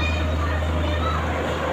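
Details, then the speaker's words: Airmax stand electric fan, bought secondhand, running after repair: fault was only a blown fuse, bushings left as free wheel turns freely; steady low mains hum and even whir, no surging or stalling, starts right away. "Ayun, mandar na. Kita nyo? Ibig sabihin, fuse lang talaga."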